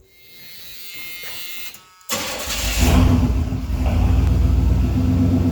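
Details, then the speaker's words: Rocky, stock turbo, oil just added, new TTA Performance 2.5-inch all-pipe exhaust with no mufflers or catalytic converter: cranks, catches and settles into a steady, slightly choppy idle, fairly quiet with turbo whistle; normal cold start and idle. "Good to go. Sounds like all the other ones. As you can see, it's not very loud for not having any mufflers, any catalytic converter on it. It's all pipe."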